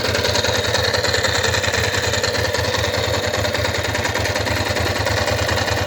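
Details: Steady idle with a rhythmic tapping pulse about three times a second over the engine; abnormal engine noise, cause unknown.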